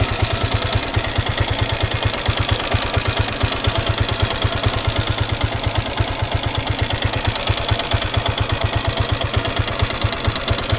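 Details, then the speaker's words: 1999 Honda CG Titan single-cylinder at idle: a hard, steady clatter on each beat. The valves are tapping and need adjustment, and the piston skirt is slapping. "Então galera como vocês viu aí aqui nesse motor né tem dois barulhos Beleza o primeiro que eu tô identificando aqui ela tá batendo válvula Beleza então vai ter que regular e o segundo barulho aí que tá tendo aí é justamente o pistão batendo saia"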